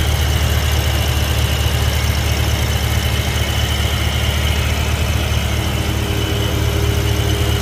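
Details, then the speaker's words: BMW E70 X5M, S63 V8, idling, heard from underneath: thin high squeal or chirp like a slipping belt; excess crankcase vacuum sucking air through the front main seal, before PCV catch can setup; no smoke. "if you could hear the the squealing or chirping type noise from underneath the car uh it sounds like as if the belt is slipping but it's not actually the belt it's actually the crankcase sucking in air through the front main seal"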